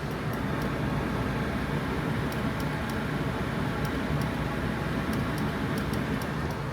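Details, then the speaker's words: RV coach with the AC running hard after a Freon recharge (owner worries it may be overfilled): sharp dry clicks in quick bursts over a steady running rumble; owner suspects a chattering relay, not yet confirmed. "And then I'm gonna swap it out. I have a box of relays, and we'll see if the Morse code stops."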